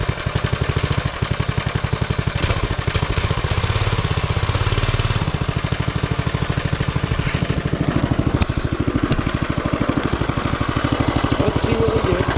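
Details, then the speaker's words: Coleman CT200U-A mini bike with newly installed Hisun 196cc engine, test start: rapid single-cylinder popping about three beats a second, uneven, lumpy, wavering firing; runs rough, oil checked good, cause unclear. "That don't sound good. Well, let's check it out again. Check our oil. Oil's good. I don't know why she sounds like garbage."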